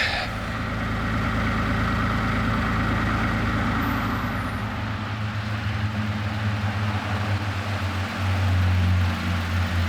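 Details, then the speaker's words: 1993 Toyota Land Cruiser 80 with newly rebuilt engine, cold dark morning around 6:50 while camping: cranks a little slower than normal but starts without issue, then settles into a low, even warm-up idle with no misses or knocks. "oh a little bit little bit slower of a crank than normal but definitely no issues at all starting up"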